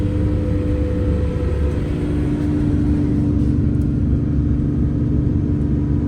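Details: MCI 9 coach test drive after replacing wheel bearings, king pins and air bags: steady even road rumble and smooth drone, no knocks or grinding, power steering slightly whiny; normal driving.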